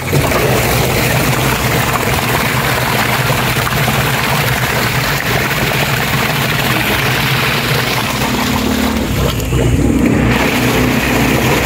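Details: Washing machine agitating normally after a new gearbox replaced the old noisy one, with water added. Steady churning and sloshing over an even motor hum, with no grinding or knocking.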